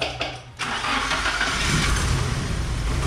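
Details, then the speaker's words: Nissan 240SX long-dormant engine started after draining the sludgy old fuel, with fresh gas, a battery charger and refilled radiator: brief crank, catches within half a second, steady even idle without shaking despite some air in the fuel rail; healthy start. "Starts up pretty quick. No, it has air bubbles in that fuel rail. It's idling amazing. It's not shaking."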